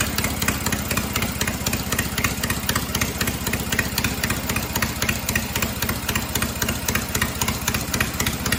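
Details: Cub Cadet 482 tractor after an engine swap to a 12.5 hp opposed-twin Briggs, with the carb rebuilt, running with no mufflers: loud open-exhaust popping at a steady, even beat of about four per second. Runs cleanly, just loud.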